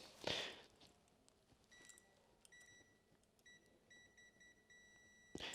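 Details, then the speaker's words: Continuity beep from a multimeter on the inline fuse of a FunBikes GT80 Trail Blazer off-road buggy: high, thin short bursts, then a steady tone. The fuse conducts and has not blown. "if the buzzing noise is there the fuse has not blown and the fuse is working correctly"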